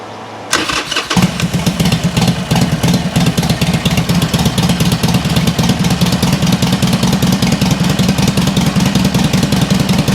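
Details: 2007 Harley Sportster 1200 Custom after no-start and oil leak repairs, engine light off, possibly low or old fuel: cranks briefly, catches and settles into a steady, even loping idle with no knocks or rattles.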